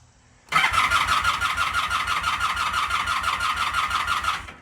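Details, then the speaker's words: Vintage motorcycle, owned about 25 years, with a sensitive ignition and non-ethanol fuel, on its old battery: starter spins the engine steadily at about three compressions a second with a thin whine but never fires. Owner suspects a weak battery. Crank, no start. "Now, this bike's ignition system is sensitive. If the battery isn't topped up, it won't fire."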